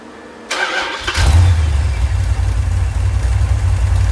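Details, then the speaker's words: Rebuilt 1990 Mopar 318 V8 from a D150 truck, honed, new Rock Auto parts, Comp custom-grind cam, Air-Gap intake, warm, no leaks but a wet oil filter: starter whirr, clean catch, deep even idle with no knocks or misses; normal start and idle. "But I feel pretty good about our little Rock Auto special here. Start it one more time."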